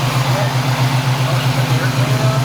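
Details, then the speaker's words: 1980 Chevrolet Camaro Z28, factory LM1 350 with Turbo 350 automatic, parked about 5 years, idling warm with the radiator cap getting warm: a deep, steady V8 burble with a regular pulse and no knocks or misses. It seems to smoke only from sitting and runs good. "yeah that seems to run pretty good radiator cap's getting warm everything looks okay it's just smoking from sitting as far as i can tell but the car does run good i gotta give it that"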